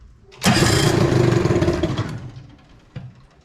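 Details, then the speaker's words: 1973 Evinrude 18 hp two-stroke two-cylinder outboard, run in a water bucket on a weak battery with a broken choke: catches, revs rough and raspy about a second and a half, then dies. Once running it misses; cause not found. "let's see if we can get this to run see if we can hook this up it's just not enough battery"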